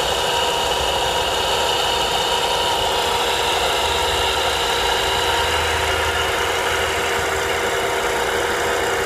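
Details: Volvo V70R whirring, hissing noise at idle that disappears with the serpentine belt removed; alternator suspected, probably a bad bearing.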